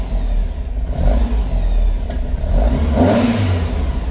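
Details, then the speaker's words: 1957 Oval Window VW Beetle flat-four, cold, carbs synced: held on throttle, revs rising and sagging unevenly as it hunts; won't idle until warm, more carb and idle speed adjustment planned. "It idles. It seems like it's a little cold-blooded. It doesn't really like to idle until it gets warmed up a little bit."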